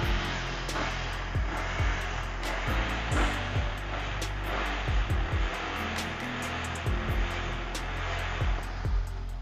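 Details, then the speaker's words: 2019 Yamaha R15 V3 with about 45,000 km and original exhaust, started and idling; steady even hum with no knocks or misses under background music; engine still very smooth. "mesin masih sangat halus"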